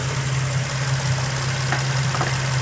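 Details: 2004 Infiniti G35 Coupe idling after cold air intake and PCV valve replaced: steady hum with a constant airy hiss from a vacuum leak at a loose PCV vacuum hose, fixed by reseating the clip and line.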